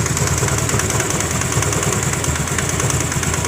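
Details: Honda Grazia BS4 scooter at steady idle with an engine sound problem: a fast, sharp ticking puff rides on the engine note; compression leaking from a loose spark plug.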